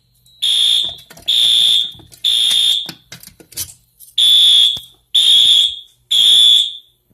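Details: Fire alarm system test with new sync module and ESL 541 smoke detector smoked to trigger alarm: loud high-pitched horn blasts about a second each with short gaps, repeating evenly; horns sounding normally.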